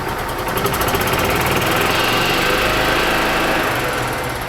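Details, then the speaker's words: 2006 Club Car DS gas golf cart, sat about 4 years, after new fuel filter and hose, fed from a spare gas can: small single engine pops along at a steady, even rate with no stumbling; runs properly, fuel system good up to the carburetor. "you can hear the engine starts and runs perfectly so the fuel system is now good from this point all the way up to the carburetor"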